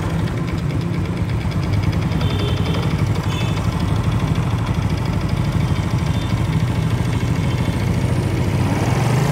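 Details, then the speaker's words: 2017 RS 125 motorcycle, single-cylinder carbureted engine: steady idle with a fast, light ticking clatter (lagitik) over a low thump; the owner does not know the cause. "So nakikinig ninyo is meron talaga siyang lagitik na hindi ko alam kung anong sir"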